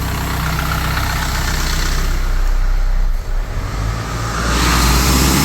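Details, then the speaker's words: Isuzu NPR diesel with a secondary fuel filter not changed in about 40,000–50,000 miles: heavy low idle rumble that stumbles and sags briefly before recovering, starving for fuel; filters being replaced. "And this one actually hasn't been changed in 40,000 miles. No, I think 50,000 miles. And you can hear how it's not getting enough fuel."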